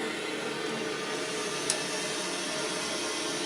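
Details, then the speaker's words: Hotel room at 3–4 am, thin walls; steady, even hiss of water rushing through the wall pipes from other rooms' showers and toilet flushes, no knocking or hammering. "you can hear every frickin shower and toilet flush at the Comfort Inn and Somerset PA"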